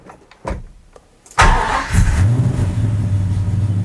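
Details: Gen 3 392 Hemi V8 swap on Aces EFI, first fire with hot idle target set to 900 and coolant reading 57: a few clicks, then it starts straight up into a steady, even idle.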